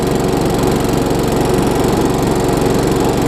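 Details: Craftsman self-propelled mower with a Tecumseh engine, after tightening the loose, backwards blade, a service and a new air filter. An even, steady buzz with no misses, surges or rattles; it runs smoothly and sounds healthy.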